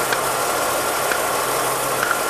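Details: Running engine during a screwdriver tap test of the mass airflow sensor: steady idle with faint light taps over it and no dip or surge in rpm; sensor passes, no loose internal connections.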